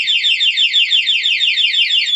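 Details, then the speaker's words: Nine99 A2 alarm fitted to a 2022 Honda Beat Street scooter, locked with the main remote: bumping the parked bike sets off a loud, high warbling siren of rapid repeating sweeps, and the remote vibrates; the alarm works. "Kalau disenggol, misalkan kena senggol ini motornya, nanti alarmnya bunyi."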